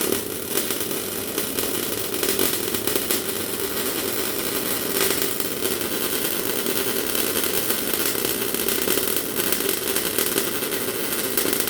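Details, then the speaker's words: MIG welder with wire feed speed at normal setting and amps turned right down: uneven spitting crackle with scattered pops instead of smooth sizzle; too little amperage to melt the wire into the part, blobbing and not fusing. "So that's what happens when your amps are a bit low. As you've probably seen there, the metal was coming out of the machine at not a bad pace, but the problem was there wasn't enough amperage there to actually melt the metal as it hit the part."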